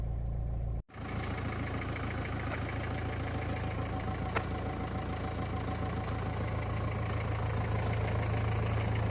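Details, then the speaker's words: 2003 Renault Scenic II 1.5 dCi 60 kW diesel, cold start at idle: steady running with an uneven, lumpy beat and vibration felt in the pedals; something seems wrong with the air intake, possibly obstructed. "now the car started you would think it's ordinary and as you can hear but something is not good with the air intake it's obstructed or something like that"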